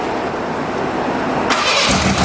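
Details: 1987 Ford Ranger, engine rebuilt a second time, after moving the distributor back: short crank, then it catches cleanly at once and settles into a steady, even idle with no popping or backfire.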